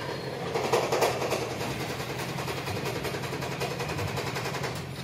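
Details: Toyota Prius hybrid on a cold morning start after sitting overnight: rough, uneven running with chuffing beats about three a second, loud exhaust and no pull under load; misfire from tappets/valve clearances set too tight, and it ran smooth after adjustment.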